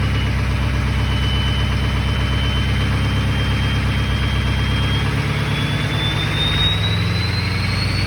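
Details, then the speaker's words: Ford 6.0L Powerstroke diesel after replacing a failed VGT turbo pigtail. Deep idle with a clear high whistle climbing on revs; turbo whistle back and working properly. "Alright guys, so she sounds good now. I got the whistle back."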